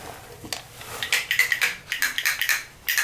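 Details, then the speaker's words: Symmons tub/shower valve being repaired for dripping, back washer worn, seats fine: sharp, uneven clicking as the stem turns, no grinding or water rush; worn spindle, to be replaced with a new spindle. "it clicking? That's just needs a new spindle."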